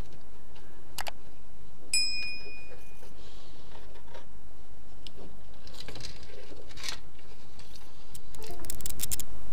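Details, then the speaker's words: Switched-on table lamp: irregular dry crackles and snaps from its failed transformer. A replacement will be ordered by the number printed on the transformer. "слышите треск трансформатор ну это трансформатор вышел из строя"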